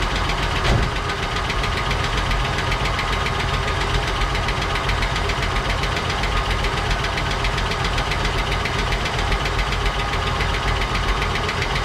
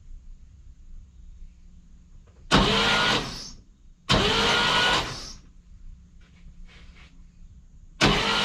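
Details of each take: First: 1959 Cadillac V8 project car, unstarted for 11 years, first run on a temporary fuel supply after cleaning points and checking plugs: uneven light tapping, about three to four a second, over a rough idle; noisy lifters or sticking valves suspected. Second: 1959 Cadillac project, stored 11 years, fuel line and coil disconnected, borrowed battery: steady, even starter whirr in short bursts with no binding, catching or knocking; engine turns over nicely, free and easy.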